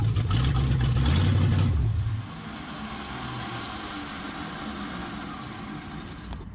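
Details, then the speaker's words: 1969 Chrysler 300 V8 during revival: catches and runs rough about two seconds, then dies when the key returns from crank; first suspected ballast resistor, later traced to bad ignition-switch wire at bulkhead connector. "And uh yeah, so when your engine's running with the key, I'll turn the crank. If it just shuts off as soon as you let the key, that's typically what the culprit is."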